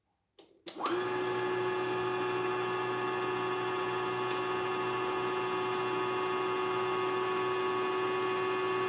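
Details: Portable embroidery machine (serviced unit sent from Jambi) switched on after repair for a test spin after threading, to be used with the small frame; motor spins up quickly to a steady, clean hum with no knocks, rattles or rubbing: running normally.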